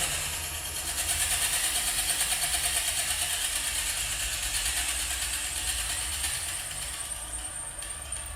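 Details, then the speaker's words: 5mm carbide drill bit turned slowly on a 1975 Solberga drill press through a bearing ball's hardened outer layer: harsh high scraping grind pulsing about three times a second with the spindle as it chews through. "I'm turning this slowly. Now it goes through the hard part."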